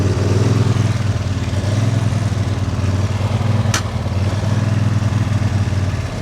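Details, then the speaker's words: Lawn tractor with an uncleaned carburettor, working with the collector: revs slowly rise and fall under load, an unsteady surge. The owner is trying to find a happy medium with the throttle and suspects the carb needs cleaning. "Ignore the surging of the engine. I will try to find a happy medium. I think it's possible just by adjusting the throttle."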